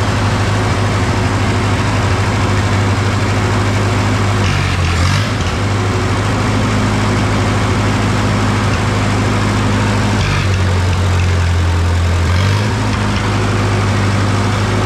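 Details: Lincoln SA-200 welder engine, firing order 1-3-4-2, after freeing stuck valves and rewiring, running without coolant before oil change: deep steady drone with brief speed dips recovering quickly; normal running.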